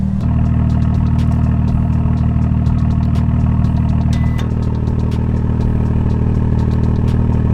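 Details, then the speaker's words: BMW M2 with a brand-new replacement valved M Performance exhaust, valves opened by remote in sport mode, idle and revs: a deep, even burble whose tone opens up fuller, with no rattles or leaks. Normal exhaust note. "i'm gonna give you guys some rips so you guys can hear it the exhaust is valve so it can be controlled by a button that i have inside"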